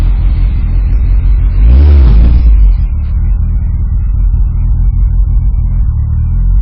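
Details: R56 Mini with big turbo fitted, after subframe work: deep, steady low rumble with one quick throttle blip near two seconds, settling back to an even idle; normal idle, healthy.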